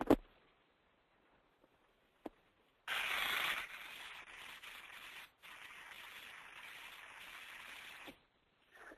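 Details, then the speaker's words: Ultrasound baseline before greasing a 100 hp electric motor driving a 500 gpm pump: rough hissing crackle and pops as grease separates in a bearing lacking lubrication. "listen for the crackling and the popping in the bearing what that is is the grease separa"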